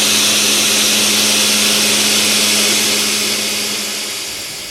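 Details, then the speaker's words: End mill in a heat-shrink holder cutting dry: an even, steady cutting tone with no chatter or squeal, then the cut winds down. The holder's lower runout and tighter grip give clean, stable milling. "no chatter no squealing no nothing these heat shrink holders tend to have a lot less run out and hold a lot tighter than a CET"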